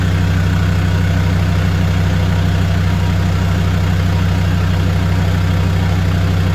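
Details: Land Rover Defender 130 TD5 diesel, first start up after sitting and purging air from the fuel system: steady, even diesel clatter with a firm low thrum and no misses; normal idle.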